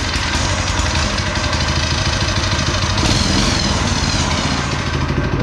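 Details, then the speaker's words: Go-kart small single-cylinder engine with newly installed torque converter, just started with choke on: steady, even idle putter with no misses or stumbles; running cleanly. "All right, here we go. So there we go, running."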